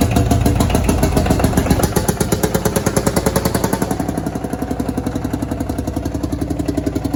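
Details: Field Marshall Series 3A single-cylinder diesel, first start after rebore and oversize piston fitted (a ring had snapped, likely from bore pitting); slow even thump about four beats a second, no knocks, healthy idle, sounds better than before.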